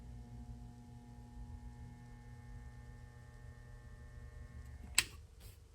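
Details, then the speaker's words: Harbor Freight Central Machinery vibratory tumbler motor switched on: faint steady electrical hum with no spin-up, then a sharp click; motor energized but stalled, suspected start capacitor failure, not confirmed; motor hums but fails to start. "sounds like classic start capacitor failure"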